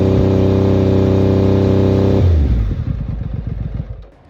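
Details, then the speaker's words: Triumph Daytona 900 Super 3 triple with SP Engineering aftermarket exhaust: smooth blip to about 4,000 rpm dropping cleanly back to a steady idle; engine sounds healthy. "it's just a basic uh noise kind of Melody or um Symphony test I should say lovely triple engine um lovely SP Engineering exhaust it sounds absolutely amazing makes me smile every time"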